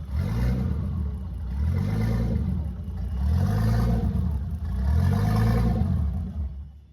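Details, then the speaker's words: BMW E30 325 just fitted with a turbo kit, open downpipe, no exhaust yet: loud deep note swelling and sagging every second and a half, idle hunting; likely needs adjustment due to new charge piping, not confirmed. "So obviously, idle's probably gonna need a little bit of adjustment now because we have different charge piping and everything is coming to the engine differently."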